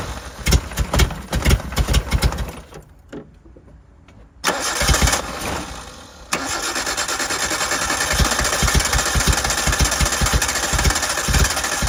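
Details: 1988 Suzuki Samurai, parked since the late 1990s, on a temporary gravity-fed fuel tank: several cranking bursts, then it catches and runs with an uneven, lumpy beat about twice a second. Rough running; owner suspects poor fuel delivery.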